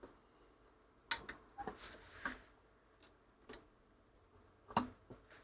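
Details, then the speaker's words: 1960s Ferguson 3026 mono record player, hum fault fixed by replacing main smoothing capacitor: quiet scattered mechanical clicks and soft clunks as the changer steps through its reset after being moved, nothing grinding or sticking; normal reset cycle. "so we'll turn it on now it'll probably go through a little reset because it's been moved about a bit"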